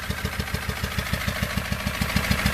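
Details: 2018 SsangYong Rexton Sports 2.2 diesel, 119,174 km, idling before repair: heavy even knock about seven per second, white smoke; broken crankshaft cap bolt holed the cylinder block, No.1 piston melted; engine rebuilt.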